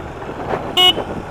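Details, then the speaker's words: 2015 Yamaha 400 single-cylinder fuel-injected five-speed motorcycle riding through New Jersey: a short, clear horn toot over road and traffic noise; horn works. "Oh, the horn works."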